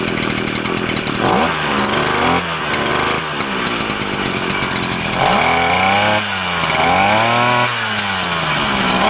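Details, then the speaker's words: Titan TTBCP33 33cc split straight-shaft two-stroke brushcutter on alkylate fuel: crisp buzz climbing and dropping cleanly with each throttle blip, no misfire or stumble; runs well. "yep that sounds pretty good to me"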